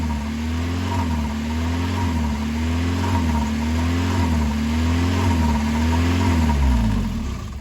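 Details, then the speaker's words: 1990 Mazda Miata: starts normal, then after running a while engine speed rises and falls in a steady cycle about every second, idling high, also while driving; idle hunting. "It starts out normal, and then after it runs for a little bit, it'll start idling up and down. So as you can see, it's not healthy."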